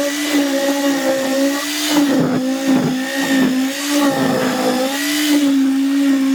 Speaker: as i said it's loud